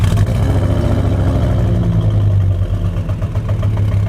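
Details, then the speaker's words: Ford Focus ST drops a cylinder on the drive to the dyno: a lumpy, uneven beat runs under the revs and never smooths out. Compression reads 150 psi on four cylinders but 100 psi on the middle (third) cylinder. A cracked liner is suspected. "But believe it or not, on the drive over to Courtenay Sports, this thing decides to drop a cylinder."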